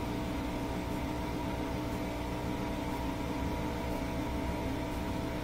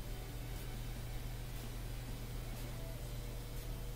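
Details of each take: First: Bosch Axxis washer manually set to spin at 1000 rpm: steady even motor hum with faint tick about once a second as the drum turns; normal spin, drain, motor and belt working. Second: Bosch Axxis washer, dual cold water pre-wash inlet valve energized: steady low electrical hum but no water entering the dispenser; owner suspects this water inlet valve has failed and needs replacing.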